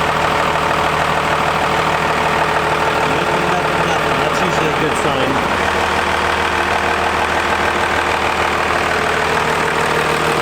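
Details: Diesel truck, first start after installing compound turbos with a new turbine housing that may smoke lightly at first, not yet driven: steady, even idle clatter with a smooth rhythm and no knocks or misses; normal diesel idle.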